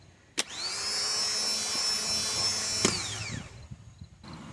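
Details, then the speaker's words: Toyota Camry/Solara 2.4 L (2002–2006) replacement starter bench-tested before installing: a clean high whine rises quickly, holds steady, then winds down smoothly with no grinding or noise; the starter is healthy and gets installed. "So everything is fine with this."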